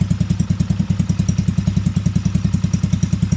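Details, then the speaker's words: T-Rex go-kart small engine after crash repair, choke on, just started: steady, even thumping about three and a half beats per second, no misses or knocks; smooth idle, idle may need raising slightly. "Sounds pretty smooth, don't it?"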